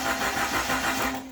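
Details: Jeep YJ Wrangler in restoration, unstarted for four years, no distributor yet: starter spins the engine over with an even, rhythmic churn for about a second, after reconnecting the fuse block; cranking sounds normal.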